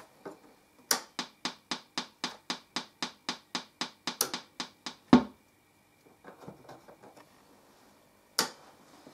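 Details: TPA3122D2 Class D amplifier kit after replacing the IC, previously killed by running at about 31.6 V near its 30 V max; second channel at power-on: sharp evenly spaced pops about four per second, then scattered crackle; gone after power cycling.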